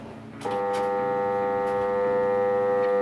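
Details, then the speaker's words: Pool pump motor after winter shutdown gives a steady electrical buzz with no speed rising, trying to start but failing; the capacitor is suspected. "voyez on entendre qu'elle a envie de démarrer mais n'y arrive pas"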